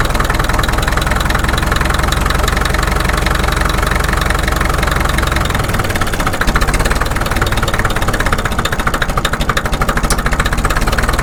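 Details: Caterpillar D2 (#5J1113) diesel at low idle on first start after full pony motor and diesel rebuilds, 30 psi oil pressure: steady even clatter with regular beat, no misses or knocks, hitting on all four cylinders; smooth healthy idle.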